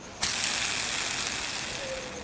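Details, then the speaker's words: Bronson Raw Jamie Foy skateboard bearings, rusty on the outside, spun on the wheel before cleaning with Windex: a high, gritty hiss that fades as the wheel slows, with a faint tone near the end. Dirty bearing. "you can hear the dirt in them. That one kind of sounds different."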